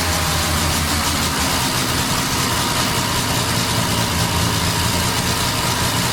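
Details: 1989 Dodge Daytona ES, first start after fitting new parts: steady idle with a faint continuous whine over it, attributed to the power steering.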